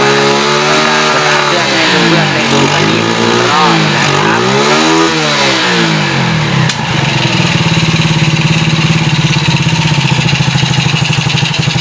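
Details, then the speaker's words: Yamaha Spark X1 that won't rev, after the upper timing chain guide was replaced and the crank timing marks were checked as aligned: engine bogs and idles lumpy even with the choke open; flooding was suspected, but covering the carburettor intake changed nothing. "เปิดปากกองช่วยมันก็เป็นเหมือนเดิมนะครับมีอาการเล่นวอดเล่นไม่ขึ้นนะครับ"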